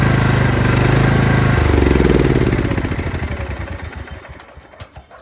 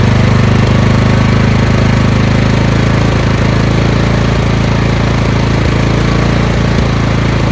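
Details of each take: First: Craftsman LT2000 lawn tractor engine starts and runs fine, then after 10–20 seconds surges and gasps: steady idle shifts pitch into uneven gasping beats and fades, fuel starvation; owner suspects collapsed old fuel line, fuel filter or fuel solenoid. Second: Craftsman LT2000 lawn tractor after fuel line replacement, fuel solenoid cut off: small single-cylinder engine ticking over at a steady idle, even beat with no surging; earlier surge gone, which the owner blames on the fuel solenoid.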